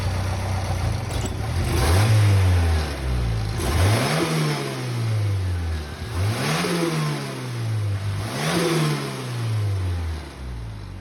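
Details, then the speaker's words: 1963 Volvo Amazon 122S swapped to a Ford 2.3 turbo on MegaSquirt, first start before winter with a very rough tune; uneven rising and falling revs with pops and stumbles under the loud whine of an external fuel pump; rough running from poor tune. "It's a very, very rough tune, as you can hear it kind of popping and having a fit. But it was enough to fire it up and move it in and out."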